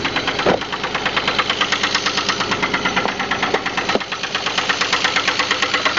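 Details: 2000 Pontiac Grand Prix GT 3800 V6 running at idle with a sharp, rapid knock tapping steadily over the engine; bad engine knock.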